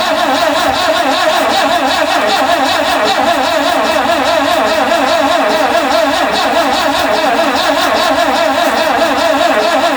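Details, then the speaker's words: 1974 Vauxhall Magnum, unstarted for 37 years, fuel squirted in and throttle butterfly possibly stuck: starter turns engine over slowly and evenly for ten seconds without firing; crank, no start, battery suspected weak. "No. Not having it just yet. Right, let's try that again."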